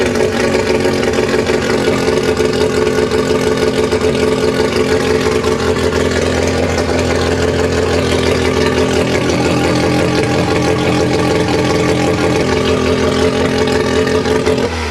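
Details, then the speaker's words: Mazda 12a rotary engine on an engine stand, after timing was advanced: busy, buzzy note holding steady and revving cleanly before dropping off, running smoothly with no stumble. "Well, that was much better. Looks like the tape's holding up. Heck yeah."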